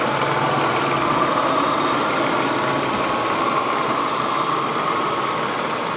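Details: Ford EL Fairmont Ghia on both LPG gas and petrol, recorded in the engine bay: uneven, lumpy idle of about four pulses a second that never settles. It also stalls frequently; owner guesses computer or distributor. Rough idle.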